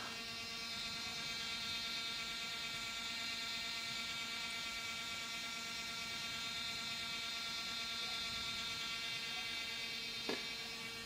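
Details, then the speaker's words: MacBook Air: abnormal steady high-pitched whir with several thin tones that never settles, much louder than normal fan noise and louder than before; cause not identified. "i'm back now it no longer sounds like a coffee brewer now it's insane sounds even more annoying like this"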